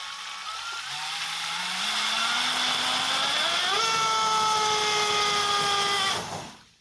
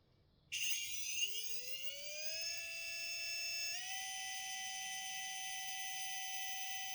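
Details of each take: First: RC model on test with an 1800 KV motor on a single battery: whine climbs in pitch as the motor spools up, holds steady, then cuts out abruptly. The motor draws too many amps from one battery, tripping the ESC low-voltage cutoff; a second battery is added in parallel. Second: RC 1800 KV motor spun without load, pump disconnected; high electric whine sweeps up within two seconds and settles into a clean steady tone, unloaded RPM equal to KV times volts; normal unloaded run.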